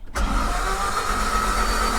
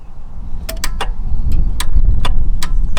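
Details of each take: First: Mk1 Toyota MR2, long-stored, after starter motor was tapped and its mounting bolts tightened: brief click then starter engages and spins the engine at an even steady cranking rhythm, no grinding; normal cranking. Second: Mk1 Toyota MR2, key turned in neutral: sharp irregular clicks about two a second over a low hum, no cranking; relay clicks but starter not engaging.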